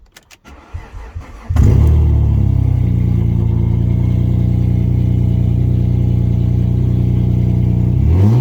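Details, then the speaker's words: Alfa Romeo 156 under pre-purchase inspection, most cat-back exhaust missing: engine catches after short crank into a loud, deep, boomy unmuffled drone. Loud exhaust from missing cat-back section. "it is missing most of the exhaust from the Cat-Back so it is going to be noisy"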